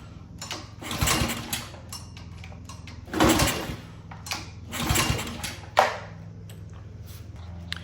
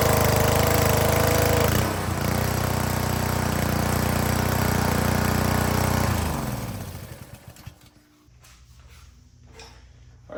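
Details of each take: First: Honda GCV160/GCV190 pressure washer engine that had been sitting, with fresh fuel, fuel valve on and choked: repeated pull-start cranks that die away without firing; cranks but won't start, traced to a clogged carburetor jet. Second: Honda GCV160/GCV190 pressure washer engine after carburetor cleaning and reassembly: small single-cylinder runs smooth and even for about six seconds, then shuts off and coasts down; healthy running after repair.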